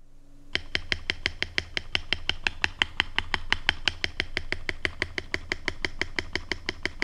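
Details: Mechanical keyboard spacebar with modded Everglide Panda stabilizers, extra tape layers added to firm a loose side, XDA keycap: crisp single clacks about three a second, no rattle or ping; properly stabilized, quiet spacebar.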